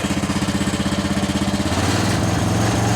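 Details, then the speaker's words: 1977 John Deere 300 riding mower, revved up with no load: even, fast pulsing thump rising smoothly, slight popping off load; runs smoothly. "Listen to how smooth that thing is. It's popping a little bit, but you know what? It's a 1977 mower, and it's also, I'm not putting any load on it, so that's it."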